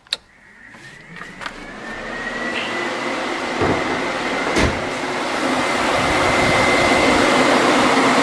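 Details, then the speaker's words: XC Falcon Coupe with a 351 Cleveland, first test of newly wired thermo fans after a new alloy radiator install: after a few clicks a fan hum builds into a steady high whir, the electric cooling fans running normally. "so the radio's in, thermo fans are in, all wired up. So we'll give it a test."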